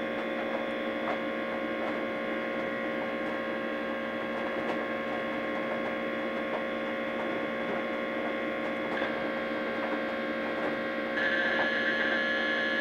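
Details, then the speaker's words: DEC VAXstation 2000 (1987) with an RD54 hard drive, booting: steady hum with faint uneven ticking over the drive whir, an abnormal seek noise; the hard drive is judged faulty. "sounding rather sick stop that let's run the disc verifier"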